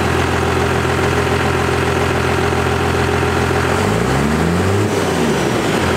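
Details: 1st-gen Cummins diesel after readjusting the injection pump power screw for the new 3200 governor spring: steady idle, then a quick rev that rises and drops cleanly back to idle without hanging; normal idle and rev.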